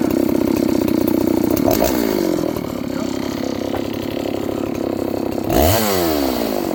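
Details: John Deere CS81 chainsaw that was leaking excess fuel, test cut: strong steady two-stroke buzz sags into the cut and rises cleanly again; burning black off, muffler drying, needs more run time; healthy running under load.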